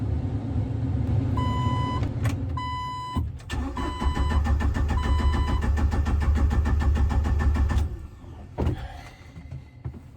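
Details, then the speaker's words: 1997 Jeep Wrangler TJ SE, 2.5L four-cylinder, about 204,300 miles, first start attempt after installing a remanufactured PCM and sitting a month; door chimes, then about four seconds of even cranking at three to four turns a second, no start. "Okay, it's the moment of truth. Just do it. It's been a month. And it's not working."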